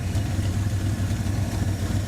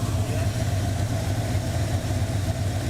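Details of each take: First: 1984 Ford Mustang GT350 20th Anniversary V8 idling with a faint quick tick on each firing pulse on one bank; at first it was suspected to be a lifter again after one set was already replaced, but it is an exhaust leak. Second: 1984 Ford Mustang GT350 20th Anniversary V8 at a steady, deep, even lumpy idle with no knocks or misses; a suspected noisy lifter (new set fitted) on one bank was actually exhaust, and the engine seems okay. Normal idle.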